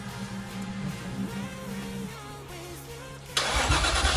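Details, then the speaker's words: Nissan R33 Skyline project after fitting a Walbro 400 LPH fuel pump: steady starter churning about three beats a second with no fire-up; fuel and pump confirmed working, spark to be tested next, cause unconfirmed. "we have fuel the pump is working we have crank as you can hear so now we're going to test spark"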